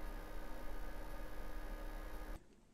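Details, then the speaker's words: Skytech SPL700 amplifier after channel repair: steady loud airy whoosh with faint constant hum, cooling fan running flat out with no thermal control; fix is a fan control module switching it on only above 30 degrees. "i have to solve the noise for the cooler you can hear it it's very loud"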